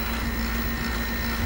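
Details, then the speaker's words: Lennox three-phase compressor in a home-built hybrid heat pump water heater, running at low speed 40 Hz, outdoor about 104°F: steady low hum, even mid drone, no knocks; normal low-speed compressor running. "got the Lennox running and when you can hear that compressor sound like that that's actually when that's on low speed 40 Hertz three phase compressor BFD at 40 Hertz"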